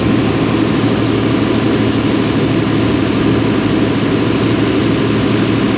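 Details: Volvo Penta 275 kVA canopy diesel genset on an off-load test, auto-started from standby after a 5-second relay delay, battery at 28 V: deep steady drone at constant speed with no knocks, misses or surging; normal off-load running.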